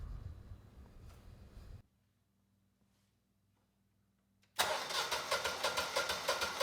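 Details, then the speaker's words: Generac 20kW standby generator with replacement GTH-999 999cc engine (model 0H4653), first start after swap; fires after a quiet pause and settles into an even, steady beat of about three pulses a second, sounding healthy. "So hopefully this engine starts. It sounds good and we're still making power."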